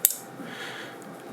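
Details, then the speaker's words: Flex Radio 6600M station, relay board switching power, nothing in the loop yet. Two crisp clicks about 1.3 seconds apart over a quiet room, clean relay pull-in with no chatter; normal switching. "So you hear it turn off and on. Now right now I don't have anything in the loop. Notice it's not controlling this. And you can see it throwing the relay as I go back and forth."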